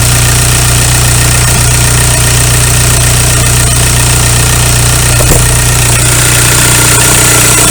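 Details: 2001 VW Golf TDI (ALH) diesel at idle after injection pump head plug seal replacement and bleeding air from the lines: even, steady idle with light injection clatter, no misses or stumbles; running healthy.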